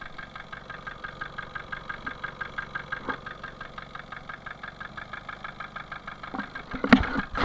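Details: Engine just installed and started, idling with a steady, even knock of about seven beats a second; engine knock at idle.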